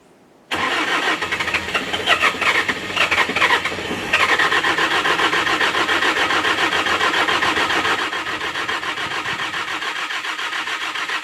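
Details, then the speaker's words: S530 skid steer diesel cold start in snow: starter churns about ten seconds with uneven compression beats, never catches; owner suspects frozen fuel, priming by squeezing insufficient. "so close I think the fuel is a little Frozen or something so it's I could squeeze it prime it gets a little bit in there but not quite enough to turn it over"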